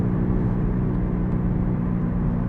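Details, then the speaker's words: 2008 Toyota Sienna minivan bought without inspection, on a test drive: steady low droning roar under road noise at cruising speed, louder when turning left; worn wheel bearing, possibly left side, suspected but not confirmed. "something about wheel bearing diagnosis when you drive it gets louder when I turn left"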